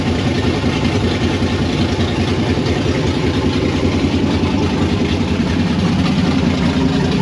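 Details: 1992 Firebird with LS swap and Holley Terminator X, first start, freshly started: lumpy uneven chop about two to three beats a second instead of smooth idle; thermostat stuck; rough idle.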